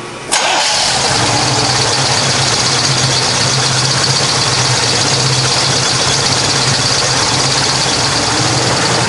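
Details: 1969 Chevrolet Camaro convertible, 350 small-block V8, stock-style mufflers: starter catches almost instantly, then a steady, deep, even idle with no knocks or misses; normal cold start and idle.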